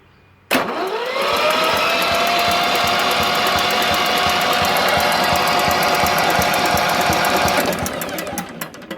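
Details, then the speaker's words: Yanmar 3QM30 marine diesel stored since 1991, cranked on jumper cables with the compression release engaged: starter whine with even chuffs, about four a second, and no firing; oil pressure rises to about 55 psi; healthy cranking. "then we're going to engage the compression release so it cranks easier and I'm willing to crank it and you'll be able to see if it has oil pressure"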